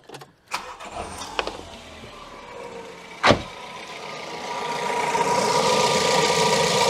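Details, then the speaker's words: Ford Ka with the old overhead-valve Kent-derived Endura-E fuel-injected engine, bonnet open: a short crank, then a clean catch and steady idle with only light valve-gear tick. Not too clattery, a healthy start. "they are said to be a bit cluttery if I fire this one up um I think we'll hear it isn't too bad at all"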